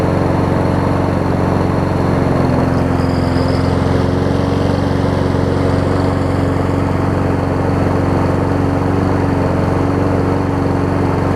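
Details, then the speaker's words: Troy-Bilt self-propelled mower after swap to a pre-2012 Honda engine from a donor on a newer deck, driving up the driveway: steady, even drone at one pitch, no misses or knocks; runs well, compression maybe slightly low. "I can already tell it's running better than when I originally had it."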